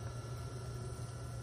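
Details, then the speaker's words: Sump pump system with two pumps and high-water alarm: alarm triggered, first pump plugged in, water drops quickly, second pump added; steady low motor hum with no knocking, rattling or surging; normal pumping. "So I'm plugging in one of it. You can see the water comes in down really quickly. Plug in the other pump as well."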